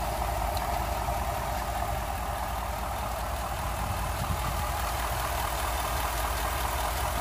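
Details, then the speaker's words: 2011-2014 Ford F-150 5.0L after installing Spectre 9976 cold air intake: smooth even idle, little change, with audible soft rush of intake air, no knocks or misses; normal idle. "as you guys can tell it didn't do a whole bunch for the idol this is one thing I really like about this unit you can hear it it is just sucking in air though"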